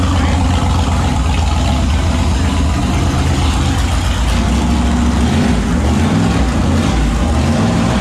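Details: Turbo 5.3 LS V8 Mustang build, first successful naturally aspirated startup after fixing a weak-battery starting issue and swapping the passenger-side injector harness wiring; deep loud rumble holding a steady idle with gentle speed wander, running evenly on all cylinders, normal idle.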